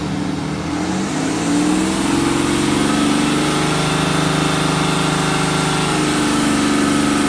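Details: BMW N57D30 diesel at 325,000 km held at raised revs: uneven misfire-like tapping through the drone; chains, injectors and crankshaft pulley new; same with or without accessory belt; cause unconfirmed.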